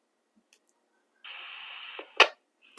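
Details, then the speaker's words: Other radio compared against the TID TD-H3 on a repeater, after unkeying: brief squelch hiss about three-quarters of a second at the same volume, cut off cleanly with a click, shorter than the H3's; normal short squelch tail. "so you hear it but what you hear you notice at the end was the same amount of same squelch at the same volume by the way but much shorter"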